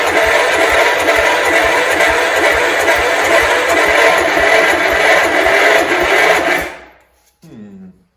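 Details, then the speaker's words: 1971 John Deere 140 H1 tractor, long parked: steady fast cranking for about six seconds, never catches; owner suspects an exhaust valve sticking open, cause unconfirmed. "It tried, so at least we know it's doing something. We didn't get it to start, unfortunately. However, we got very close."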